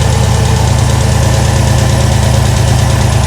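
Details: Chevrolet Tahoe V8 with newly fitted headers and new spark plug wires, awaiting exhaust shop: light, fairly regular ticking about four a second over a steady idle, sounding like valvetrain or possible lifter tick.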